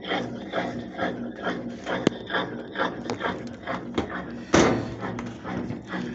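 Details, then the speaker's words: Old General washing machine, model TL1221BPSOS0, after repair of a no-power fault, on spin (exprimir): rhythmic thumping with soft motor hum and occasional louder knock; tub spinning normally. "Ahí está exprimiendo. Calidad. Ahí estamos, señores."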